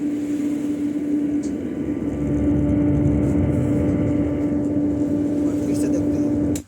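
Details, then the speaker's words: Home theater subwoofer after replacing the failed amplifier IC: a clean, steady low tone with no hum or crackle, so the output is working properly. The burst 25 V capacitor is replaced afterwards. "देखते और फिर से देखते हैं sound इसका सही आ रहा है"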